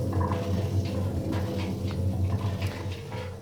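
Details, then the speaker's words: Washing machine drum spun by hand: a rough, steady, noticeable low grinding rumble from very badly worn drum bearings. "you can hear it makes quite a noticeable sort of grinding noise"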